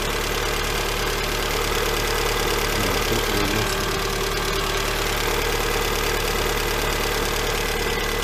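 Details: Lada Granta 126 petrol engine after full rebuild (bored block, new bearings, 82.5 pistons, new timing kit and valves), idling: fast steady light ticking knock, cold and hot; teardown found hydraulic lifters sitting high and low.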